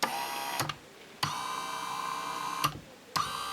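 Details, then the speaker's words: Electric bed actuator motor, after repairing wiring by joining connectors with copper wire, tested before closing up: repeated ~1-second motor runs with sharp starts and stops and even buzz; normal actuator running, same sound as when it worked. "Rien qu'au bruit, je peux vous dire que c'est exactement le bruit, le rythme, etc. qu'il faisait quand il marchait."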